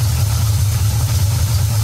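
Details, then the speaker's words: Big-block Ford with a Street Demon 625 carburetor at operating temperature: the mixture screw is backed out until the engine smooths out and idles up, giving an even, steady low V8 burble with no hunting; normal idle. "you hear it start to run well back it back out until you hear the engine smooth out you can hear it smooth out and kind of idle up"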